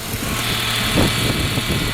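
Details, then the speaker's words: 2001 Ford Mustang 3.8 V6 with an intermittent sputter, new EGR valve, wires and plugs: steady, even idle with a smooth low rumble, no misses or knocks; healthy at idle. "So, the engine sounds okay to me. It's the way I got it. Sounds okay on idle. Totally fine."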